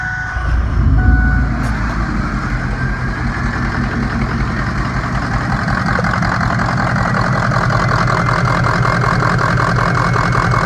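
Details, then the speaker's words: 2003 Ford F250 6.0 Powerstroke diesel V8, 183,000 miles, 2WD, idling: rough, uneven chug from a misfire, worse in gear; codes for number 5 injector, injectors 5 and 6 being replaced. "now I don't know if you guys can tell the video but it does have misfired and it was a lot worse when you put it in gear"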